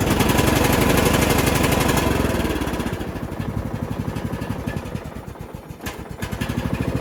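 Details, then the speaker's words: Bolens riding mower, running after carburetor removal and refit: fast, even, blatty chuffing at about four pulses a second, much louder than normal; owner suspects an exhaust leak, not confirmed. "well it's running but it's making a lot of noise sounds like it's got an exhaust leak so the motor runs but we've got another issue"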